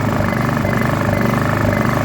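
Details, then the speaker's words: Honda EU2000i generator left sitting about 3 months, with varnish in the carburetor bowl. In eco mode the idle surges unevenly and never settles, before the carburetor is cleaned. "so I got it running finally this what it does when it's on [Music] eco surges can't find a happy"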